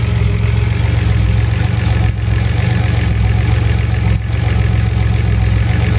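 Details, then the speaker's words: Buick with newly installed Bailey Engineering TR6 ignition system running waste-spark smart coils from current V6 trucks, 2012: deep, steady idle with even low rumble, no stumbles or misses; normal idle. "I'm going to go ahead and fire up the ignition and I'll actually start the car here so you can hear it wrong"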